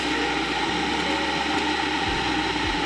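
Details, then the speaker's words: Cuppa CWK-100 variable gooseneck electric kettle heating water: loud, steady rushing hiss with a low rumble, held level throughout; it heats very fast but noisily, normal kettle heating noise. "right did you hear that it sounded like a normal like a normal Kettle"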